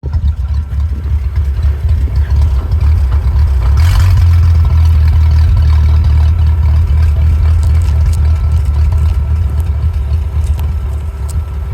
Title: Willys rough idle